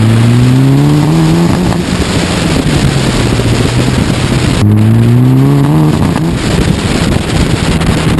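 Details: Mitsubishi Evo IX, misfire that began after a winter stored awaiting a new clutch. The engine note climbs at full throttle, then breaks into a ragged stutter as the car shakes and the tach flails. No CELs, fine at medium throttle and idle. Fixed with new ignition coils and a COP kit.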